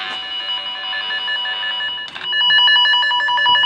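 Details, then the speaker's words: Cable tone tracer: the tone generator is on the de-energized cable, and the contactless probe runs along the cable tray toward the cold room. A steady, high warbling tone holds without dropping out, showing the probe is still tracking the toned cable. "Donc là tu es toujours bon, tu l'as toujours."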